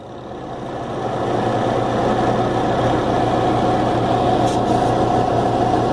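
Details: Twin-tub washing machine on spin: steady motor hum with rhythmic thumping about 3.5 per second as the spin basket turns slowly, wobbles and knocks the tub walls and won't reach speed; attributed to wash-drain faults, with water leaking toward the motor.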